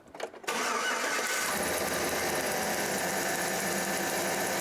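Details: Engine cranking during a spark test to verify a misfire repair; good spark confirmed afterward. Short quiet start, then a strong, steady whirr lasting several seconds. Normal cranking.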